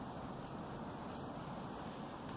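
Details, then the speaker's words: Residential sprinkler zone turned on by the anti-siphon valve's manual solenoid knob after one riser repair: soft weak hiss of spray with no surge; water pressure too low, another broken riser leaking, found later. "Now we have a problem here. The water pressure is so"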